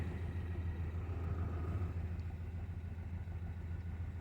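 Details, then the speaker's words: 2016 Ford Mustang 2.3L EcoBoost, 128,572 miles, poorly installed replacement engine, flashing check engine light; low, lumpy idle with heavy pulsing shake about three beats a second, engine shaking badly; misfiring, cracked turbo intake pipe also found. "Look at how it's flashing, which means it's misfiring. This thing is shaking"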